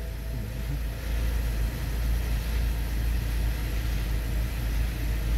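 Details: Low, smooth, even idle with a steady level and no knocks, stumbles or dropouts, right after a replacement OEM-brand, China-made sensor was installed; it started instantly and now runs properly.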